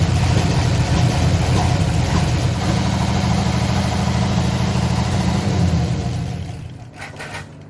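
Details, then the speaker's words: 1968 Oldsmobile Delmont 88 V8 that sat 30+ years, idling on a lawnmower tank feeding the fuel pump with the alternator disconnected; rough idle with loose top-end valve chatter and misfire, oil light still on, no gauge, owner suspects no oil getting through. "I am concerned because the top end was still pretty chattery, still had a misfire, and the oil light is still on the dash."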